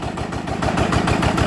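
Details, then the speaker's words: Yanmar TF85 LM single-cylinder diesel, previously stiff to turn and knocking, after rebuild: steady even thump about eight firings a second, no knock or gear clatter; gears now very quiet, normal idle. "ตอนนี้ก็เสร็จเรียบร้อยนะครับสำหรับเครื่องยมานะครับอ่านี้รู้สึกว่าเสียงเฟืองนี่จะเงียบมากนะครับ"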